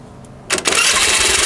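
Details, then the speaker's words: Honda Vario 110 carburetor scooter after fitting an H4R racing starter dynamo: starter catches promptly and engine fires cleanly into a steady, even buzzing idle; starter sounds smooth, normal running after start. "nah halus kan suaranya ya Mantap"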